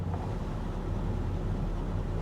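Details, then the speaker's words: Plymouth Roadrunner at idle after the high idle was kicked down with a tap of the pedal: low, soft, even burble with no knocks or ticks; purrs quietly, normal idle. "Purrs like a kitten. You can't even hear it running."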